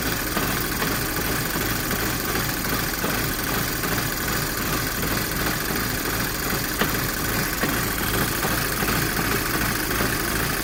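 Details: Volkswagen GTI Mk5 cold idle sounding uneven and lumpy with irregular stumbles instead of a smooth beat; rough cold idle, cause not yet pinned down.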